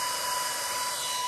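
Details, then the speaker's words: Server power supply being converted for BMW programming, powered on with the white fan speed-control wire not connected: steady high-pitched whooshing whine with a sharp fixed tone as the fans run at full speed. Jumpering the wire will slow them. "is obviously even too loud to have running in a workshop. But if we jumper this wire, it will slow the fans down."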